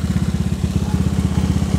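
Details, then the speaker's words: Carbureted Honda Vario scooter (130cc) that has been hard to start. At idle it has a bassy, steady single-cylinder thump with a faint light valve ticking. Valve clearance noise is suspected, not confirmed. "gua dengarnya sih kalau lagi idle gini agak ngebas ya agak ngebas suaranya tu kita coba pantengin dikit untuk suara klepnya kedengaran sedikit di sini nih suara setelan"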